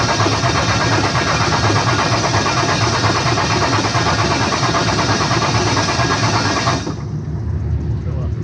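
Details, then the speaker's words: 5.9 Cummins diesel with new FLUX 100% injectors and Smeding S472 turbo, first start on a poor tune: fires and settles into a loud, steady clattering idle, no misses or odd knocks; sounds healthy. "sound good thoughts sounds like a motor sounds like an engine good deal yes it does"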